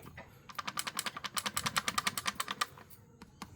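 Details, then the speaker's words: Ford DPS6 dual-clutch transmission that fails its learning program; the TCM shift motor hunts back and forth trying to find neutral because an internal gear piece is broken, making quick dry clicks of about ten per second for two seconds. "makanya suka ada suara seperti ini ditransmisi bolak-balik itu karena motor tcm-nya bergerak muar ini sehingga bikin suara itu"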